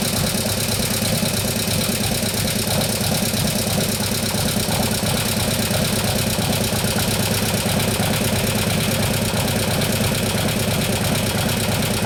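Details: 2015 Harley FLH Road Glide, 103ci Twin Cam, after a camshaft install and new oil pump: fast, light ticking through the busy idle that does not fade. The hydraulic lifters are still not pumped up after a long time.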